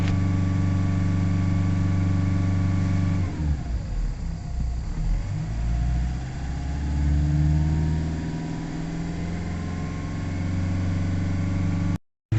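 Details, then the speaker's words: Nissan Navara D40 2.5 dCi diesel, still cold, fresh fuel added, P1275 fuel pump and P1622 codes: idles with revs climbing slowly and hesitantly, never pulling freely; power loss slowly improving. "It's picking up a little bit of revs at the minute. It's improving slightly. So we've got revs slowly getting a little bit better as we're going along."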